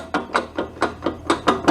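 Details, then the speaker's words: Craftsman garden tractor mower deck, spindle turned slowly by hand: sharp knock roughly every quarter second from excess play; worn spindle bearing, spindle due for replacement. "If you hear that noise, probably time to replace your spindle anyway."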